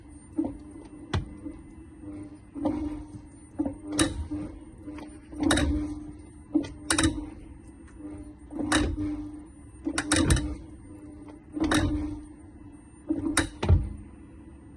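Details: 2023 VW ID.3, clicking from the rear wheel when pulling away or shifting between Drive and Reverse against the brake: irregular sharp clicks and clunks over a faint motor hum. Points to a worn rear outer CV joint, possibly related to TPI 2064631.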